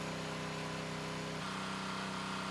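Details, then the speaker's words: Predator small engine just under a minute into an oil-additive durability test: steady even drone with one pitch step, no ticks or knocks, no smoke, no apparent engine damage yet; normal running. "And the test has been underway for just under a minute, and the engine still sounds great with no apparent engine damage yet."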